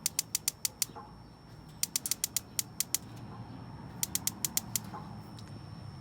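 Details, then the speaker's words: Masterchef propane BBQ: three bursts of rapid igniter clicks, about six a second, with propane hissing and smelled but no burner lighting, during a burner replacement with the cracked burner left out. "you can smell the a propane we got nothing lady it's almost when you turn it on you can hear the propane is hissing but it's not lighting"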